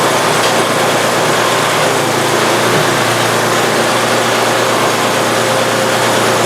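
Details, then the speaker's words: Free Simplicity snowblower engine after an oil leak repair, freshly filled with oil and gas: steady buzzing drone at constant speed with no misses or knocks; normal running. "there we go she's running I think I'm gonna have to tweak this little bar back so that doesn't hit but beyond that she's good"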